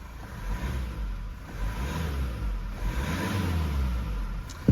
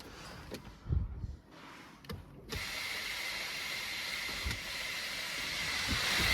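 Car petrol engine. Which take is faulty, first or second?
second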